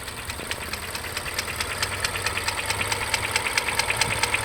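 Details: Mazda 3 with BP engine, hydraulic lash adjusters already replaced; idling petrol engine with a steady sharp metallic tick-rattle, a bit over two per second, between 550 and 900 RPM. Engine rattle at idle.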